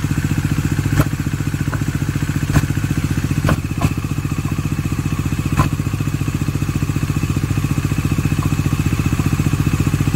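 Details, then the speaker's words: Bajaj Dominar 400 with under 1000 km, idling: fast, even clatter of roughly four taps per second over the exhaust beat; owner still investigating, clutch pulled to test; abnormal engine clatter, cause unknown. "para ele poder explicar melhor Esse barulho tá o que é muito estranho gente é muito estranho esse barulho"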